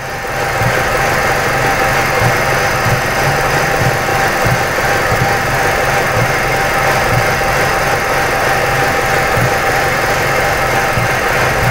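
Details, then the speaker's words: 2006 Ford Escape 2.3L four-cylinder at idle: uneven running with irregular low thumps as every cylinder misfires, one worst; mode 6 confirms all cylinders missing, so likely multiple causes; fourth shop, many parts already replaced. "guys every single cylinder in this engine is missing one's the worst but they're all misfiring and the engine or mode 6 sees that they're all misfiring so we're probably not looking for one but multiple"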